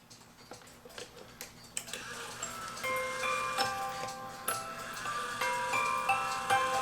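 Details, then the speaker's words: E. Schmeckenbecher Nuremberg church clock with new 3D-printed parts, music box being set up: thin, quiet tinkling notes with soft strikes. Weak comb strike, with the comb too far from the drum pins. "you can hear it's not hitting very strong but personally because it's gonna be my clock I don't know that I want it that strong"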